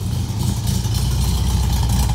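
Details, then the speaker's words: Restored 1964 Volkswagen Beetle air-cooled flat-four, converted to 12 volt, dual exhaust: steady, even low burble with a smooth, unbroken rhythm and no knocks; healthy idle. "Nice tone from the dual exhaust. Hopefully you can hear how strong that motor is."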